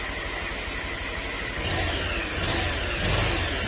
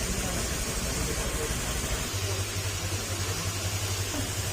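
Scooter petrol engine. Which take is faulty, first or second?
first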